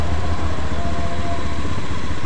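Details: Honda Beat eSP scooter idling with the battery negative terminal disconnected to test charging (ECU found fine, charging holds): steady low single-cylinder putter with an even beat; normal, stable idle.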